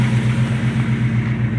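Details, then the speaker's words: 1982 Dodge D150 pickup on a test drive after sitting at least a year over an odd metallic rubbing noise at the front of the transmission; even, low engine drone, no scraping; owner thinks a flex-plate rub may have worn clear; normal running. "I don't seem to hear that noise I thought I heard coming from the transmission a while back"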